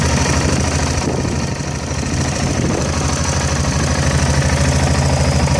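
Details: Yamaha XT660 single idling unevenly, about three beats a second with stumbles and dropped pulses; the misfire turned out to be a faulty manifold absolute pressure (MAP) sensor.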